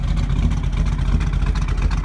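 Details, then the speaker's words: 1948 Mercury coupe V8 with a mild cam, throttle blipped from under the hood: deep, lumpy rumble that stays even with no knocks or ticks, a little black smoke, owner says it runs slightly rich lately. Normal revving. "Just have a little bit of a cam to it. You can hear it's just got the right amount of rumble."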